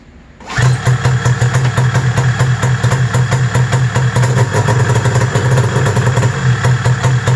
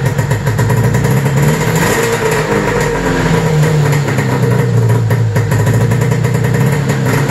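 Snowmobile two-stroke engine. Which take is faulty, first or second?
first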